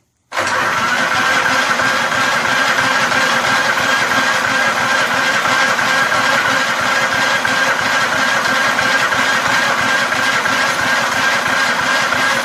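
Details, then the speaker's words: Free vintage Snapper walk-behind mower on its electric starter: starter churns the engine about three turns a second for over ten seconds with no firing; cranks but won't start, fuel level unchecked (a little gas was found in the tank). "Any of you check the gas in this? It isn't exactly something I have done, and I have no idea."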